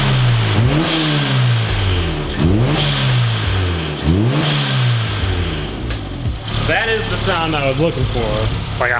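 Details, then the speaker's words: Turbocharged Honda Fit, three quick revs: each cut off with a short high-pitched hiss as throttle closes; blow-off valve venting cleanly. "high pitched JDM bald eagle all right let's hear it under some load"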